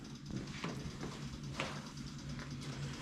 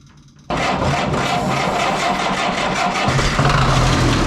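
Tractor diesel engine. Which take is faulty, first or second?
second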